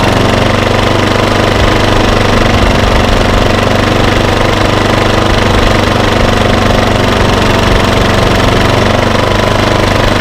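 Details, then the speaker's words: 3700 W remote-start portable generator (Bali), after carb cleaning, new spark plug and servo rotated back: steady, even hammering drone at constant speed in eco mode, no surging or hunting; running normally. "the motor seems to just be running just fine once i got that servo rotated back"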